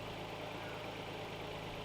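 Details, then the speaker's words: Nissan Skyline warming up after its first start in two years; it needs time to warm up. A quiet, smooth idle with a steady low hum and no tapping or hunting: normal warm-up. "definitely needs a little bit time to warm up um and then maybe i'll rev it for you guys"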